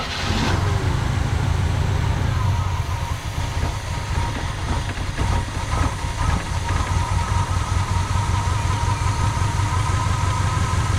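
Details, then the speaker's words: 1985 Pontiac Trans Am V8 with electronic-feedback four-barrel carburetor, 34,000 miles, parked since 1998: catches after brief crank into rough, uneven idle on primed fuel; fuel pump or stuck float suspected, fuel found reaching carb, so carburetor issue. "So either the fuel pump is not working or the float is stuck in the carburetor."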